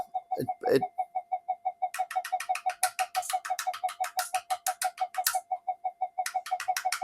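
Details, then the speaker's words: Old Minelab GP Extreme metal detector on the bench; rapid cooing warble about three pulses a second with crackly bursts; flyback pulses wobbling on oscilloscope instead of straight, suspected PLL fault or power supply failure. "So it may even, if it's not the PLL, it might even be in the power supply. It might have spat the dummy."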